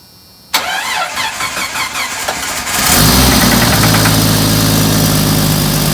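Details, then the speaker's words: 1991 Jeep Wrangler YJ 4.0 inline-six, reportedly a stroker with a suspected spun bearing: about two seconds of cranking, then a loud, raspy idle from a bad exhaust leak. "and obviously it has bad exhaust leak"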